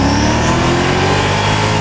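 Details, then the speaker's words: Mercedes V8 AMG after exhaust work (kit designed for left-hand-drive car): deep V8 revving smoothly up and easing back, full and even, noise now from the rear instead of the earlier blow at the front; healthy exhaust. "That's noise out the back. That's noise from the back. That's no longer a weird nasty blow from the front. It sounds great."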